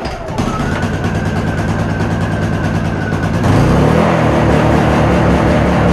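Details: Honda EU2000 inverter generator with a new carburetor whose jet was wrongly altered following internet advice, started with eco throttle off: hums steadily, then jumps louder and busier instead of settling. Hunting surge from the carburetor jet fault.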